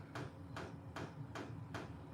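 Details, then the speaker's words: Portable all-in-one diesel air heater with built-in fuel tank and exhaust piped outside about 10 ft, running indoors: a steady, even thump about 2.5 times a second over a low drone is the fuel pump dosing normally. "listen hear that that thumping noise is the fuel pump"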